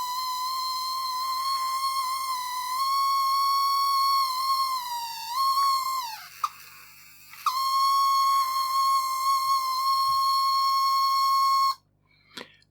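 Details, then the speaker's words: Addams Family Thing coin bank that wasn't grabbing coins: after re-soldering, its small motor still squeals with a steady shrill whine around 1 kHz, sagging briefly midway; same noise heard at first test, cause unknown. "It's still making a funny noise, isn't it? Why is it making that noise?"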